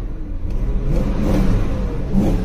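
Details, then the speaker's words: BMW V8 at an auction lot, revved once oil had circulated: deep, choppy note that stumbles as the throttle opens; a misfire. "let's give her some throttle now that she's had some chance to circulate the oil ooh she had a little she got a misfire for sure"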